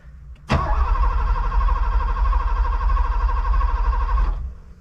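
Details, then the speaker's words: Long-sitting Porsche 928 manual at key-on: an even electric hum rises for about four seconds and then cuts off cleanly as the fuel pump primes normally. "oh it's German I gotta turn there's the fuel pump I hear it"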